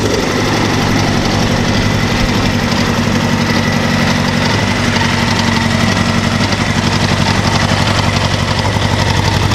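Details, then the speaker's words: 1988 Honda CBR1000F Hurricane: steady four-cylinder idle with a fast, light metallic cam chain tensioner rattle only at idle, gone by about 2,500 rpm; common Honda nuisance, not urgent. "You'll notice that the sound goes away with some RPMs. So it's purely at idle. When you're operating it, it's not slapping around, not doing anything unusual. Rather common for Hondas to have some cam chain noise."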